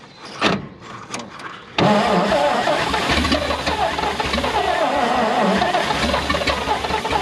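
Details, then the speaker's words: 1951 Dodge B-series five-window truck, first start attempt after long storage, gas poured in, odometer 45,418 (likely 45,000 miles): after hesitant cranks it catches and runs; revived engine running. "oh almost there well the truck actually started um it ran for about four seconds"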